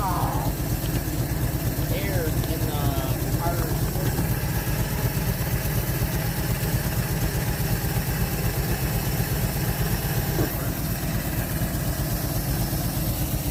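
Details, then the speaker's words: 1948 Chevy inline six, off the road since 1968, just restarted and pulling from the tank on very old gas: low, smooth, even idle holding constant speed without stumbling; running like a sewing machine, normal idle. "the this thing is running like a sewing machine after all these years"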